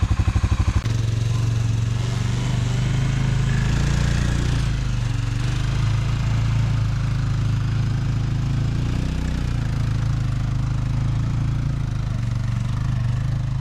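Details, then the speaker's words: 1997 Arctic Cat Bearcat 454 ATV after carburetor repair, following 1.5 years sitting, on a December shakedown ride: steady low thumping holding even speed, no misses or knocks; everything seemed to work fine. "Well, I think we gave her a pretty good shakedown run and everything seemed to work fine."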